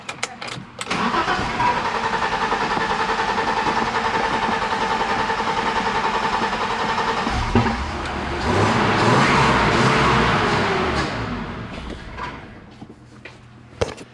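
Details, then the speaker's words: 1987 BMW 325i E30, sat after paint job; fuel pressure now near 40 psi. Long crank, fires briefly on starting fluid then fades out, won't stay running; spark present, owner suspects injectors dried up from old bad fuel. "Now it doesn't want to stay running. With starting fluid, it fires up, so that's good."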